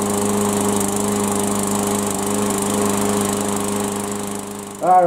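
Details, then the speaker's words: Yard Machines walk-behind mower after oil change, new oil-saturated air filter and belt inspection, bail arm clamped down, restart next day: steady even drone, no misses or surging, then cut off; normal running. "I'm gonna go ahead and start it back up let it run for about four or five minutes and see how it does on a warm start here we go"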